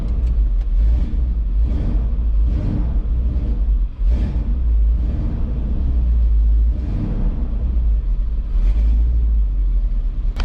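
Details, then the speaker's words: Ford F150 7.3 after glow plug relay replacement and exhaust leak repair, unrun for about three weeks; deep rumble with uneven surges and a stumble, exhaust leak gone; rough idle, owner suspects debris in fuel delivery. "so this is a little rough because there's probably some stuff stuck in the carburetor yes i didn't didn't run for about three weeks"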